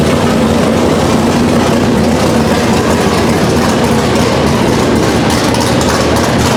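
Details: Chevelle V8 on a new Edelbrock Pro-Flo 4 EFI, first start, injection not yet fine-tuned, open headers: loud, raw rumble holding a steady fast idle without misses or knocks; running healthy.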